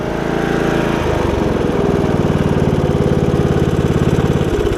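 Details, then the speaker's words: Briggs and Stratton single-cylinder riding mower engine after HiPA carburetor swap and burning off muffler residue from the old leaking carb: picks up and settles into a quick, even beat of about three and a half pulses a second; normal running. "That's excellent. So we just had to get rid of all that crap that was in the muffler from where the old carb leaked, and it seems to be good now, so including the belt, so that's great."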